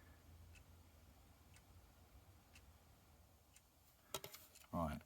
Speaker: now what we'll do is we'll pop a battery in it and unfortunately it doesn't have a second hand so you won't be able to see it working but hopefully oh hopefully you can hear that